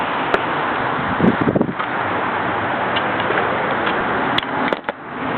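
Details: GoPed small gas scooter engine running: a hissy, steady roar broken by sharp clicks and crackling bursts. The strange noise is unidentified.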